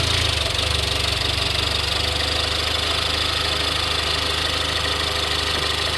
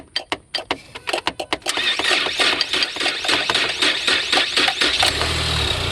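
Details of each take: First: 2018 Ford Explorer, after tapping the starter with a rod: engine settles into a steady even idle with a constant hiss, no misses or surging. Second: 2018 Ford Explorer, under 30,000 miles, that won't crank even when jump-started: sharp metal taps on the starter with a rod, then it cranks and catches to a steady rumble; relay replacement suggested.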